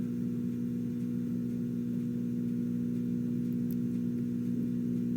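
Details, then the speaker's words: Detrola 4-D tube radio after replacing three electrolytic capacitors, B+ now 336 V, tubes glowing: a steady low hum over faint furnace rumble, newly appearing; cause not pinned down. "I'm actually starting to get a hum, which I wasn't getting before."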